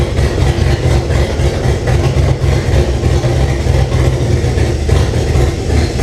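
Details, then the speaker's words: First runs of 2005 5.3 LM7 V8 swapped into 1998 Jeep Cherokee XJ, open exhaust, O2 sensors not connected: deep uneven idle hunting rather than settling; rough idle, owner suspects a vacuum leak, unconfirmed. "that other thing runs I didn't run that great but there's no two sensors hooked up and open exhaust and a few things and I'm sure there's a vacuum leak or something somewhere"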